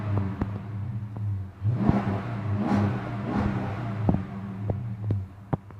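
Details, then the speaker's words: 5.7 engine (Ram 1500/Charger) restarted after an oil engine flush and oil change, lifters mentioned. Low idle hum wavering in loudness with occasional sharp ticks. Idle slightly smoother but still rough, cause not pinned down. "The idle smoothed out a little bit. I'm not going to say it's perfect, but it's a little bit better."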